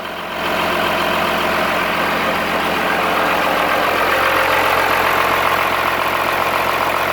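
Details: Cummins-swapped squarebody Chevy diesel truck idling after installing dual plastic fuel tanks on a single filler neck; steady, even clatter with no stumble or surging, not lacking fuel, though it later chugged to a halt and the owner wonders about fuel supply.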